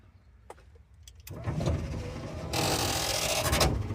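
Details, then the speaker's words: Power window on a car revived after 27 years, rewired without a diagram; motor whirs then runs louder and labored, window moving slowly and straining; owner thinks the dry slide rods need grease, so he greased them afterward. "I have two working windows. Really need to grease those things before they burn out."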